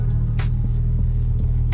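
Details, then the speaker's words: Toyota MR2 SW20 turbo at idle on baseline drive, passenger seat: deep steady drone with buzzy dash rattles as vibration carries through the chassis; the unmounted muffler is suspected. "so you can kind of feel those vibrations throughout the whole chassis you hear Dash rattle"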